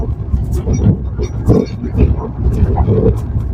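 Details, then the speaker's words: 2017 Maruti Suzuki Swift Dzire driven on the same rough road after steering box work and new rack bush, stabilizer link rods and bushes, with the mic under the steering. Only tyre thumps and body rumble, no rack rattle; the steering rack is normal. "കണ്ടോ ഇപ്പൊ sound ഒക്കെ okay ആയിട്ടുണ്ട് വേറെ വലിയ കുഴപ്പമൊന്നും കാണിക്കുന്നില്ല"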